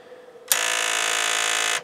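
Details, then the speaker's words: Sony TC-K80ii cassette deck, no tape loaded, after wires moved: harsh steady buzz for about a second; intermittent fault, suspected power supply, an unplugged servo board connector found; erratic transport mechanism noise. "wow what was that what is going on with this thing thing it's turned on so all I did was move some wires around no tape"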